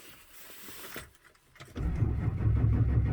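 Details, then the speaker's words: 2004 Chevrolet Silverado 2500HD 6.6 Duramax cranks no start, no codes; no rail pressure, no tailpipe smoke. Steady fast even starter chug, never catching; prime lost via leaking tank-to-engine suction line, replaced with 1/2" fuel hose. "there's no smoke at the tailpipe well when for whatever reason we're not getting uh we're not getting fuel pressure try bleeding it again"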